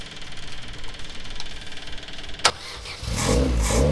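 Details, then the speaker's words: Stock car (tarmac car) with freshly self-rebuilt engine, just started, not yet warmed up, no air filter yet: catches after cranking and settles into an uneven, hunting, lumpy idle; idle needs setting. "it's now time to start it up and hear it properly. I need to sort that idle out."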